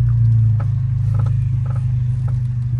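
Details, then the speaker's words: Audi S3 steering column area while turning the wheel: steady low drone with light creaks and clicks about every half second, quieter than earlier but still present; source not found. "voilà c'est ça le bridge est actuellement en fait il dit il est beaucoup moins fort par rapport au début de la vidéo mais"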